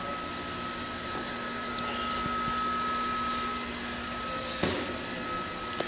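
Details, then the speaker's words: Jockey pump set to auto, running after a flow test with the diesel fire pump off, refilling and repressurizing the sprinkler system with air venting: steady motor hum, thin constant whine, airy hiss, a couple of clicks; normal operation. "So, like I said, jockeyy's on, set to auto, and you could uh hear this little thing running."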